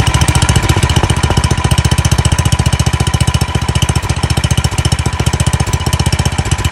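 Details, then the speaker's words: Free old Craftsman snowblower, small single-cylinder engine, first start on fresh gas with choke on; no fuel from the primer bulb, so an air leak is suspected. Loud, uneven beat hunting; surging and liking choke, suspected carburetor fuel restriction. "well it runs that's good um it's surging and it seems to like the choke so there's probably a fuel restriction in the carburetor"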